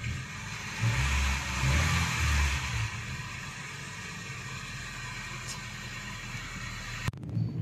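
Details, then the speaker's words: Honda Jazz after scanner diagnosis found faulty MAP and a second sensor causing rough running and check engine light: revs rise and fall briefly then settle to steady even idle, check engine light off, RPM stable; normal idle. "Oke untuk panel indikator semuanya mati ketika mesin menyala termasuk dari engine lem dan putaran mesin juga sekarang sudah kembali normal RPM juga sudah stabil"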